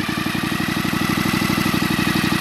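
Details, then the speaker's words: Stihl TS 420 cut-off saw test run after new cylinder and new crank installation, running about a minute to seat rings: even two-stroke putter, no misses or rattles; engine runs smooth and healthy. "do this for a good minute or so it's just me you don't have to do this you do what you want to do and there we go one minute a little bit more sounds good and I got it humming"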